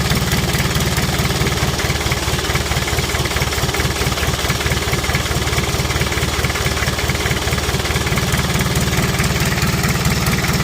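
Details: Kia Bongo Frontier 3.0 JT diesel idling steadily with a regular tapping knock about twice a second over the low rumble; engine also overheats (no shroud), low power, black smoke, bad injector calibration suspected, general overhaul due.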